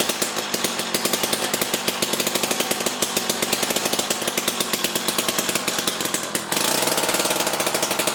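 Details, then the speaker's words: Jiffy Stealth STX 10-inch ice auger, 3 hp Tecumseh two-stroke, on fresh 91 non-ethanol fuel after choked start: crisp rapid loud crackle with steady even beat, then revving cleanly; normal running. "so all right so the jiffy here is running good i mean we put fresh fuel in it and then it was popping off and definitely very loud"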